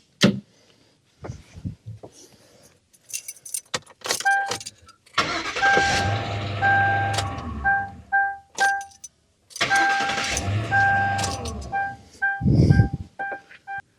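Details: 2003 Mercury Grand Marquis, no-crank no-start fixed by replacing the starter with a new Bosch unit: short brisk crank catches quickly into steady even idle, no grinding or clicking; normal crank and start.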